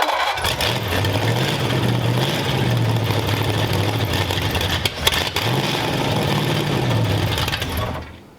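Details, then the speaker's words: Freshly built hopped-up flathead V8 for a 1932 roadster at first start: catches and runs unevenly, speed hunting every couple of seconds before dying; a rough idle, suspected lean or idle set too low. "I think it needs it's either lean or it's uh the idle needs to be turned up but let's try"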